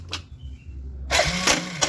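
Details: Kawasaki ZX motorcycle electric starter: brief whir and clicks, motor spinning freely without turning the engine; starter one-way clutch slipping, not engaging.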